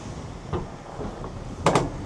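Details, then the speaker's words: JAC T9 4x4 ute reversing up an off-road proving-ground wheel-articulation obstacle; a few sharp creaks and a loud double crack near the end under load, heard as creaking and cracking sounds of unidentified source. "Can I just say, friend, there was some really weird sounds there, like creaking and cracking sounds."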